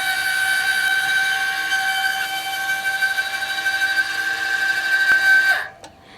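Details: Eco-Worthy solar sun tracker second-axis actuator, no panels fitted, timed from full south back to full north/flat (about 22 seconds): steady, even motor whine holding one pitch, then cutting off cleanly at end of travel; normal operation.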